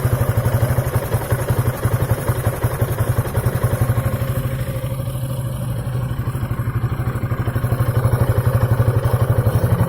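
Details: 2003 Piaggio Beverly 500ie idling low and unevenly with popping misfires near stalling; throttle body, cylinder head, fuel pump, temp sensor, plug, coil and relays had no effect; fixed by replacing the ECU.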